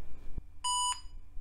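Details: Retro laptop after CMOS battery replacement (CR1225) and clock set: one short clean beep of about a third of a second, then quiet; normal single POST beep, boots to Windows 95 with 16 MB RAM.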